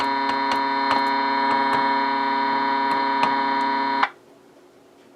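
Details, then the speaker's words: Bearcat BC-210 radio scanner, power supply checked good, signal from a service monitor injected at the input; steady buzzy hum with irregular crackles and pops, a bad solder joint suspected. "That doesn't sound good. Almost sounds like a bad solder joiner connection."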